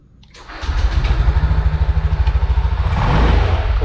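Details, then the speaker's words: Honda scooter after repairing a rat-chewed wire, with a new Brisk spark plug and added wire. Quick crank, then it starts cleanly into an even putter of about three beats a second. Power now smoother; CVT rollers unchecked for 4 years, to inspect later. "tenaganya sekarang sudah lebih halus lebih enak dipakai"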